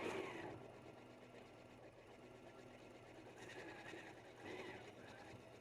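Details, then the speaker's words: Janome 9480 doing free-motion stipple quilting with optional ASR stitch regulation, which automatically dropped the feed dogs and adjusted tension. Quiet smooth motor hum with steady stitching rhythm, no knocks or catches; stitches even, machine sewing normally. "the stitching is great it's nice and even and the Machine has taken care of all of the adjustments for me automatically"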